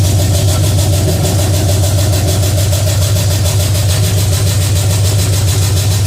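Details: Pontiac 350 V8 in a '50 Pontiac gasser after changing plugs and adjusting the idle screw, makeshift coil wire: steady idle, even low rumble with light rapid chatter on top; normal idle, runs better.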